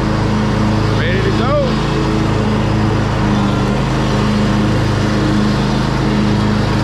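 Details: Craftsman DYT 4000 riding mower, PTO clutch previously not engaging, after wiring repair; engine holds a steady drone as blades engage, no slipping, squeal or bogging; clutch engages cleanly.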